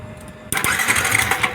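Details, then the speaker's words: Yamaha New Vixion motorcycle in neutral: starter kicks in abruptly and engine runs evenly after replacing faulty starter relay and jumpering missing ground wire from start button. "Jadi ini masalahnya pada bendek, juga kabel masa yang dari tombol itu tidak sampai teman-teman ya."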